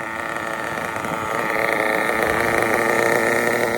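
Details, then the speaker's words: RB CE nitro engine with sealed back plate, in a drag car: steady fast even buzzing idle with no misses or surging; normal idle, well tuned. "how's she running Brothers she likes the fuel she likes a f look at that tune bro"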